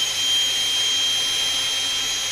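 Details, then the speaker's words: DC motor powered by a hacked, variable-voltage ATX computer power supply (SG6105DZ IC, protections bypassed), drawing about 2.5 A: steady high-pitched whir at constant speed, no roughness or grinding; motor running normally. "अब फिर से चालू करते हैं। देखिए motor इसको चल रही है।"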